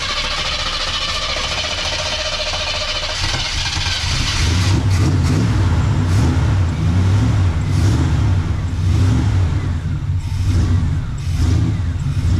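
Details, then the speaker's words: 1979 Chevrolet Camaro, first cold start on newly installed aftermarket carburetor with fuel filter; catches quickly, settles to steady even idle, picks up cleanly on light throttle; sounds healthy. "It works. that's impressive. Just fires up and idles."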